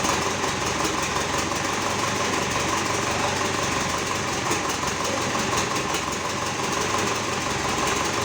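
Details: GAZ 3309 truck with D-245 diesel engine started after repair; even, steady idle clatter with no misses or odd knocks, engine sounds healthy and settled.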